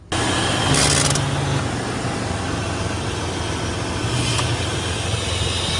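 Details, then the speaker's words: 3.7 engine after replacing all six ignition coils with dielectric grease; it starts and settles into a steady, even idle with no misfire or knock. It drove without issues, normal idle. "I'll start it up. Drove it today. No issues. Pretty happy with it. New coils are in."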